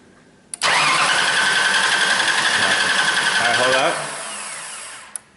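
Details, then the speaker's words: Mercury Sable with an intermittent no-start and no codes (won't restart after shutdown, starts after sitting): the starter whirs evenly for about three seconds but never catches. Relay clicks, yet the fuel gauge reads only about half a pound. No fuel pressure. "so we still don't have any fuel pressure"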